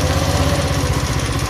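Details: 170F single-cylinder engine after replacing crankshaft and connecting rod, fresh oil: quick, even putter with a steady beat and no bottom-end knock; the knock is gone. Normal running.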